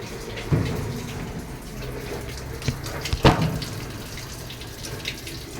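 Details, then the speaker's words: Whirlpool top-load automatic washing machine after controller board replacement for a no-power fault (old board damaged in two years, possibly by kitchen smoke); water level 1 set for wash test. Steady rush of water filling the tub, some handling bumps: inlet valve filling normally. "So tine-testing ko muna siya then kak lagyan ko lang siya ng tubig para wash."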